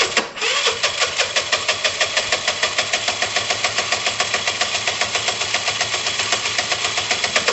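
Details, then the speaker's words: Dumped Piaggio Typhoon 125 scooter on its first start attempt: fast, even cranking pulses, about four or five a second, with a buzzy edge, close to catching but never running. Owner suspects a poor coil connection. "so close do you hear that that is that is so close right"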